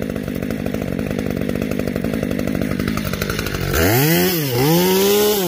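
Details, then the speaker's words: New Neo-Tec NH843 chainsaw, first cuts after unboxing: full-throttle cuts with burbling, uneven beat instead of clean high revs; four-stroking badly, running rich on high-speed mixture. "so in those couple of cuts it ran good but of course it's four stroking really bad"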